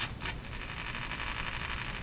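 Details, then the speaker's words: Westinghouse 535 tube radio on broadcast band at about 115 volts; hiss with short scratchy crackles as the volume knob turns, from a dirty spot in the volume control. "lot more volume lots more volume a dirty spot in the volume control you couldn't even hear that last"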